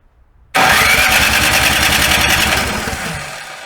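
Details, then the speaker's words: Snow blower that would not start after summer storage, after draining a little gasoline from the carburetor bowl bolt: catches at once and runs a quick, fairly even small-engine patter, about three and a half beats a second. "try to start again and that's what you want to hear it's like small quick let's see"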